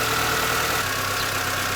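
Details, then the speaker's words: Mini after a used replacement gearbox (143,000 km) was fitted to cure gearbox bearing noise: steady, smooth idle with no knocking or bearing whine, and all gears shift. Normal idle. "la réponse c'est ça marche du tonnerre il y a plus aucun bruit de roulement"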